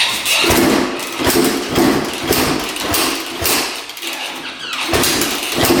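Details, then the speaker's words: 1991 Honda CR250 two-stroke dirt bike on choke, fuel off, firing with uneven stumbling pops and randomly shutting off, as if losing spark; suspected spark plug or sticking carb slide. "all right so it fired up but it sounds like it's like losing spark and then just shuts off randomly"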